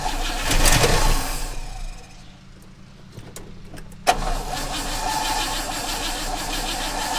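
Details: 1960 Oldsmobile Dynamic 88 after sitting a couple of years, primed with gas from a jerry can through a new 3/8 fuel line: a short crank, then it fires with a sharp catch and settles into a steady, even idle; starts and runs.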